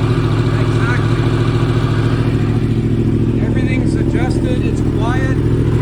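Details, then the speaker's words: 2015 Yamaha R1 race bike with 7200 track and race miles, cold start after two weeks unused: a smooth, steady idle with an even beat and no valve ticking or rattles. Normal cold start idle. "oh that sounds beautiful 2015 R1 perfect condition"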